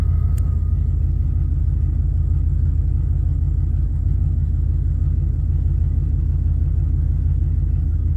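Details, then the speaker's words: 1988 Formula Firebird with a swapped 5.7 TPI 350 from a 1992 Z28 Camaro, after a new AC Delco fuel pump install: first start, deep steady V8 idle rumble with an even beat and no stumbles, running normally. "so it has been a long battle with this car it is running I have been driving it for about six months now"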